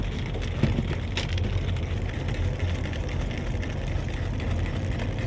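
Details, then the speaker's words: 2007 Ford F250 cargo van after alternator replacement, charging about 14.4 volts: steady even low idle rumble, no knocks or misses; engine running smoothly. "well here we go guys another happy customer cing like a cat she that b be running there she is"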